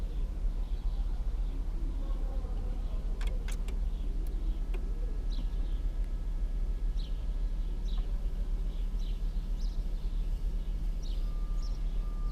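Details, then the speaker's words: Old Chrysler Voyager diesel at -17°C (feels -27): heavy steady low drone, slow and rough as it labours to catch; hard cold start, owner suspects failed glow plugs, ether planned. "и вот надо как-то завести этот старинный дизель у которого свечи накала видимо залегли не все так просто в такой мороз завестись поэтому буду использовать эфир для легкого старта"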